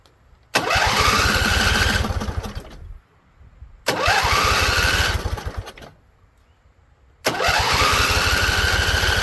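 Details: Husqvarna Z254 mower with an apparently swapped engine, spark plugs seemingly mis-gapped: after choke and carb spray, three tries each catch, run ragged about two seconds, then fade out. Owner suspects flooding or poor venting.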